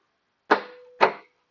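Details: Trunk latch on an older car, remote release pressed: two sharp mechanical clacks half a second apart with a faint buzz between; the actuator works but the dirty, stuck latch won't rotate, to be cleaned and lubricated.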